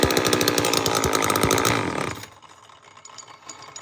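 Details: Old Homelite chainsaw, first start with good compression: rattles unevenly at high revs for two seconds then cuts out abruptly; owner suspects it needs a carburetor.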